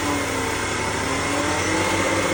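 Steady engine hum with a thin sustained whine riding over it at low revs, holding even in pitch; source of the whine unknown.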